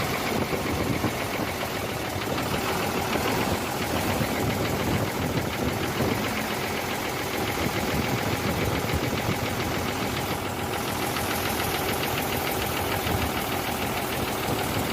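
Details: Hino J08C truck diesel at idle after overheating from a leaking water pump: rough, uneven idle with dull knock and stumbling beats; noise from cylinders 1 and 2, back compression present; pistons suspected near-seized.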